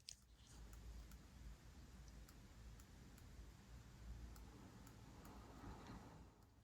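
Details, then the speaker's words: Kemper Power Kabinet IcePower 300AS1 amplifier board, powered off but plugged in, making faint sharp oscillating clicks about every half second over room hum; stops when powered on, returns seconds later; 164 V on the big capacitor. "So this board is currently powered off, turned down, and it's making this oscillating clicking noise."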